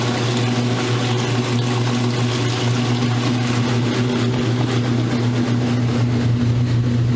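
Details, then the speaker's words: Roper washer on a normal spin cycle after earlier off-balance trouble, spinning faster and extracting water properly: steady low motor hum at constant pitch with even tumbling rush, no banging or scraping. "Spinning my clothes like it's supposed to."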